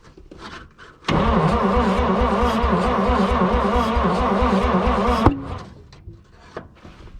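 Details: 1951 Dodge B-series truck, first start attempt after long storage, backfiring fireball from exhaust: steady starter cranking about four seconds with uneven firing pulses catching, then dies with a pop; fires but won't stay running.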